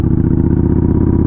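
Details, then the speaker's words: Yamaha Bolt motorcycle after a crash, riding in second/third gear: deep, heavy thumping that labours and nearly stalls; engine dragged down by locked-up brakes, burnt brake smell. "you're definitely not running right we're gonna have to see what's up yeah I see like it it stops like uh the brakes are locked up"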